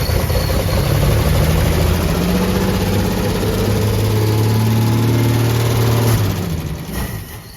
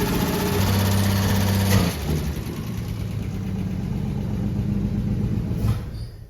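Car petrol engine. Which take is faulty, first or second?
second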